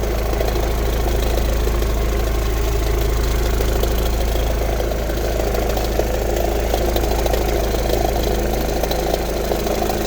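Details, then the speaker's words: Engine at idle with a regular light knock, about three per second, over a low exhaust rumble. Owner fears rod knock, bad bearing or pulley, but hopes for an exhaust leak (suspected) or a loose plastic part. "I'm really hoping this isn't a rod knock noise."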